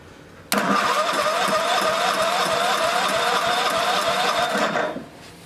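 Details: Old snowblower small engine on the electric start during a spark check: fast, even churning for about four seconds with no firing, then it stops. Spark is weak and intermittent; corroded points are suspected.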